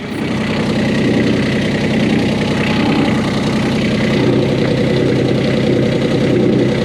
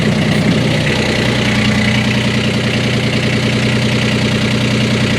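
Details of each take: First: 1988 Catalina 36 inboard idling in neutral, shaft not spinning: coarse uneven rattle over the engine beat, sounding like grinding, from an unbolted exhaust fitting vibrating through the aft end. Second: 1988 Catalina 36 inboard running after securing the loose exhaust fitting with stainless hardware: steady even engine note with firm low beat, no grinding or rattle; vibration gone.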